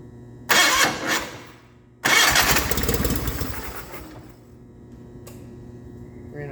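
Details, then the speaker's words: 1989 John Deere 420 garden tractor on an auxiliary fuel tank, temporary spark plug: two cranking bursts, then it runs roughly a couple of seconds and fades out; owner suspects suction loss through an open pump outlet. "okay so it sounds like i'm losing pressure suction pressure through the pump that exit that's open"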